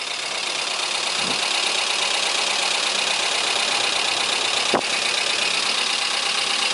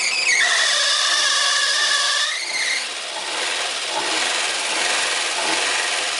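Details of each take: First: Chevrolet Corsa 2000 idling after camshaft replacement for a worn-cam noise, about five to six minutes after startup once the lifters had filled. Even, steady idle with no knocking or ticking; valvetrain sounds quiet and healthy. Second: Corsa 2000 first start after engine work, timing reassembled: high squeal sliding down in pitch right after start, then fading into an even hiss as the engine keeps running; source unknown.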